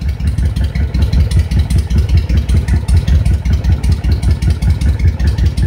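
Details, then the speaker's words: Honda VTX 1300 V-twin idling after adjusting the air/fuel mixture screw: deep, steady lope with even, unbroken beats and no skipping; mixture sounds right. "turn sounds pretty good"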